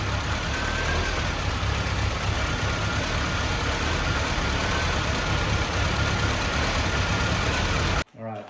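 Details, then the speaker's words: 1985 Mitsubishi Pajero on its original carburetor after sanding worn, corroded distributor points: idle lumps and wavers with an uneven beat and faint whistle on top; owner suspects a clogged carb idle valve; Weber swap later fixed it. "so I decided that since our idle is so rough and it's fluctuating, I'm thinking maybe the idle valve or something is clogged in the carb."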